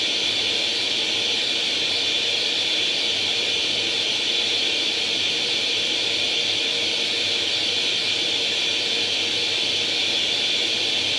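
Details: Atari 800 XL after a RAM-chip transplant fixing a 5V-GND short, loading International Karate from cassette: constant high-pitched warbling data tone running unbroken throughout; the game then starts; normal cassette data loading tone.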